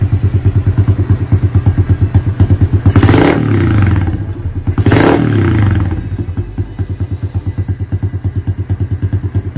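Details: Honda CRF110 with a TB 132cc big bore kit, TB intake with Mikuni 26mm carb and size 25 pilot jet, after the build: a crisp, steady idle with two clean throttle blips returning smoothly. It runs healthy.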